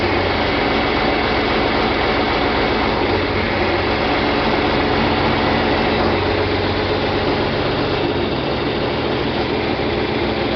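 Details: John Deere 4020 diesel tractor after clutch replacement and split reassembly, idling in park once hydraulics bled: low, even chug with no choppy beats left; running smoothly, normal idle.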